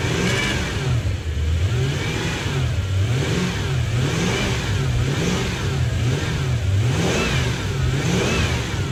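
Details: Toyota 1UZ-FE V8 in Lexus LS400, first start after installing into the body: smooth rumble rising and falling through quick blips, clean and even with no ticks or knocks; healthy engine.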